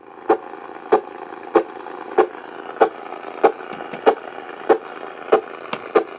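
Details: AM radio picking up sharp static pops about every 0.6 seconds, evenly spaced over quiet hiss. The interference likely comes from a nearby Cen-Tech automatic battery float charger, Harbor Freight item 69955.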